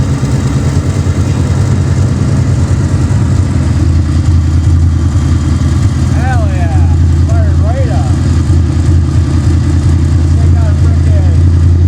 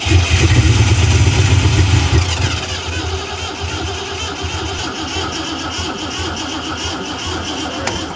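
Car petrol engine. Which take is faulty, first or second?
second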